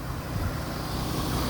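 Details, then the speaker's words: Jeep that sat outdoors from October to March, started without a jump: a low, even rumble settles straight into a steady idle, with some outdoor hiss. It starts and idles fine despite the expected dead battery. "and it fired right up how do you like that man I thought for short a battery be dead"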